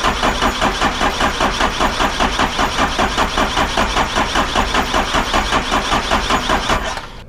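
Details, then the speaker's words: 1978 Ford Bronco 351M with intake manifold just fitted, cold morning, checking fuel at injection lines: steady starter cranking about two and a half pulses per second, never fires; cranks but won't start, air in the fuel system suspected. "let's go ahead and crank it over and see if we get any fuel"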